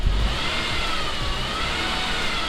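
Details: Saab 9-5 Aero at about 152,000 miles, revived after years sitting with oil change and new battery: clean rev with rising turbo whistle, no whine, grind or knock; idle great, turbo pulling, power steering pump sounds happy.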